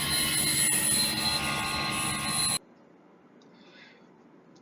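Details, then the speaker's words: Gree GMV multi VRF outdoor unit: harsh, high electromagnetic sizzling hiss with a thin high tone for a few seconds, then quiet, coming from the reactor. Cause is a poor-quality or damaged reactor; check it for damage or replace it. "reactor just makes the annoying noise sizzling right and the measure is also very easy to just check whether is there any damage from this reactor or to replace a new one"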